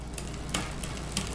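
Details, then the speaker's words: Bicycle rear derailleur being tuned, chain clicking sharply about three per second on spinning drivetrain from low cable tension; quarter turns reduce shifting delay. "See, it's still clicking, so I'm going to do another bit of a turn."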